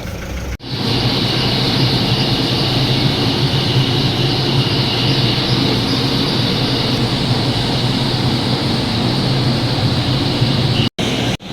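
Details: Ford Ranger 2.2L pickup engine idling with a dense, rapid knocking running through its steady clatter.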